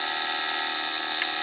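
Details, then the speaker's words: Mills Novelty penny arcade shocker game, vibrator switch contact buzzing fast and evenly as the shock builds in intensity; normal vibrator buzz. "I hear a buzzing, and it's getting more and more intense, and that's the buzzer. You can't even see it going so fast."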